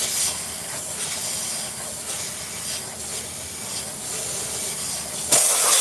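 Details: Tire valve leaking while a replacement core is tried: a constant sharp hiss with faint irregular pulsing and no engine; the new core was then locked in against high air pressure with a long tool.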